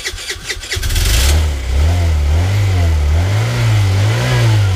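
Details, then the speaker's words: Chinese moped sat 18 months in shed, non-starting, after carb clean and charged battery, key on with clutch and brake held: starter cranks briefly, four-stroke catches and runs with steady, slightly wavering idle; starts. "Anyway, key on, clutch. Braking."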